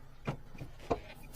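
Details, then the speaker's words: Nissan Livina (尼桑骊威) with a clunk when turning, when braking forward or in reverse, and on rough roads; the owner suspected a CV joint. Two dull clunks about half a second apart, like the subframe shifting. "这么大的声音应该好找，怎么能不好找呢？这个声音必须是使劲的声音啊！这个声音就像元宝梁来回窜似的，那元宝梁它能窜吗？那上的螺丝它能窜吗？"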